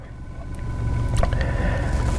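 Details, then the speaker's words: 2016 Kia Rio 1.6L with a low-power complaint, revved in place while rail pressure reaches about 1,000 psi: low, even engine rumble climbs steadily with no knocks, misses or rattles. Engine sounds good so far. "That'd be like 1,000 pounds of pressure just sitting here revving it. So right now it seems good, the engine sounds good."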